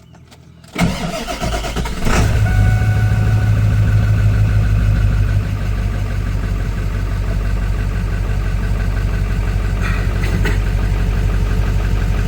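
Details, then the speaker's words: Ford F350 7.3 diesel started right after oil change (13 quarts Amsoil 15W-40) and new fuel filter: cranks briefly, catches at once and settles into steady, even idle clatter with no misses or knocks; noticeably quieter than before. "Now, you'll say I'm crazy, but definitely sounds a lot better. It's a lot quieter. These 73's are loud to begin with, but it is definitely much quieter with fresh high end oil in it."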